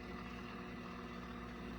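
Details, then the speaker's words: Microwave heating water for 15 seconds: a low, rough, rumbling hum holds steady while it runs; it still heats but makes an abnormal growling noise, cause unclear. "no it's making the growling noise yeah a little bit now i don't know if y'all can hear that"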